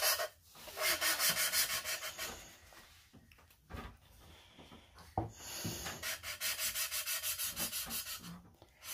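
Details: Hand-lapping a valve into its seat on a 5.3 LS cylinder head fresh from the machine shop, ground until it sounds soft: steady strokes, about three a second, with a fine even hiss and no gritty scratch; valve and seat properly mated.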